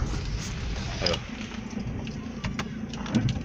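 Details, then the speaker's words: 2013 Nissan Livina road test after rear drum brakes were opened and cleaned of crust; it rolls to a stop with only road rumble, no squeal or scrape; noise resembling a pad wear indicator resolved by cleaning. "parado fez nenhum barulho tudo normal quando freava"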